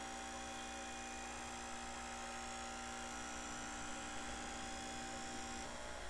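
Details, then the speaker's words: 1980s Black & Decker heater converted to a fan with metal blades, its motor run slow on a light dimmer. Low, uneven hum with a wavering whine, speed sagging and recovering as the motor hunts in and out of stall. "there see and if I just leave it at that it'll kind of go into stall and out of stall by itself"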